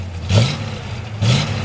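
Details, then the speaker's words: 1968 Chevrolet C10 with freshly rebuilt 350 small block, Edelbrock manifold and carburetor and ram horn exhaust. Smooth idle with two quick blips that rise cleanly and settle straight back. Normal rev response, sounds good. "sounds good great looking truck"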